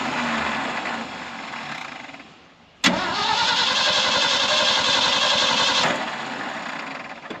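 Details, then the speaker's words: 1974 Ford F600 dump truck, sat for two years, choke pulled: steady, even cranking for nearly three seconds before it catches and runs rough. Long cranking, hard start. "she might need a little help oh she's wanting to take it out when it won't start oh look at that she will start sounds good"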